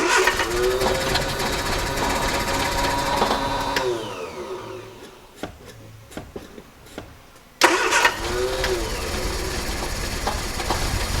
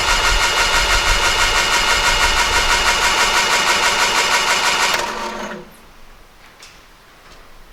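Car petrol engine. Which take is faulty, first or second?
second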